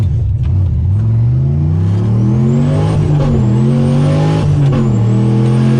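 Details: Manual HQ drag car launching at the Hardass 1000 with stiffened rear shocks, going through the gears: engine note climbs slowly and heavy off the line before pulling; bog on launch, more launch RPM suggested, 12.17 personal best.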